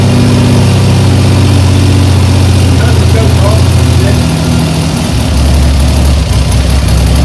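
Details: 1975 Triumph Trident T160 triple, first start after a full engine rebuild, runs steadily at a fast choke idle with no knocks or misses; it sounds healthy.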